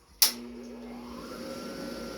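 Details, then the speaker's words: New half-horsepower 220 V pump motor, normally 3450 rpm at once, wired to 110 V: after a switch click the hum climbs sluggishly for over a second before settling; the wiring needs correcting. "that very slow lazy way of kind of spooling up and then reaching speed that's an indication that you've got a 220 pump that's been hooked up to 110 and it needs to be corrected"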